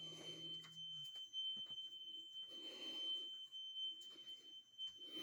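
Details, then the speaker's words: Carbon monoxide alarm going off around 1:45 am, strongest in the hallway and fading in adjoining bedrooms; a thin, high, unbroken tone holds steady through quiet room noise, source later found as a small cellphone-size box on the floor. "right here is the strongest you step into mom's room or shane's room and it goes away it's coming from outside ugh"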